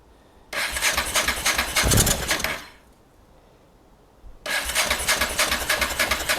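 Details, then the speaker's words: Honda NTV650 motorcycle left 15 years, first start attempt: two bursts of fast even starter cranking with a brief stumble, never runs; owner suspects it isn't drawing fuel, cause unconfirmed. "I don't think it's drawing fuel through there. Need to check on that, but what we got going on here, that sounds lovely. Everything sounds lovely, other than the fact that we got no fuel. This is trying, God love it, it is trying."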